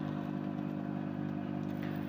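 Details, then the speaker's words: Mirta MW-2501W microwave running with a steady low mains transformer hum but not heating; hum and light rule out door microswitches and timer, magnetron suspected, not confirmed. "Як чуєте, вона гуде. А якщо вона гуде, отже, зразу відкидаємо, що несправні мікрики ось ці, що тута стоять."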